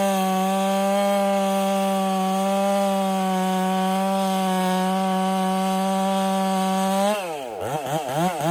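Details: Ported Husqvarna 385 chainsaw during break-in, tune left slightly rich with a little top-end burble, cutting very hard oak: strong steady high-revving two-stroke note holding pitch without bogging; smooth, normal cutting under load.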